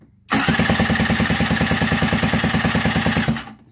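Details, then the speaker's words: Scooter after a piston seizure, fitted with a cheap replacement cylinder and piston; steady soft kick-start cranking about three chuffs per second, never catching. Compression measured only slightly higher, owner suspects the cheap cylinder is bad; low compression, no start. "wir haben ein klein wenig mehr also von der kompression hat fast nichts gebracht schade"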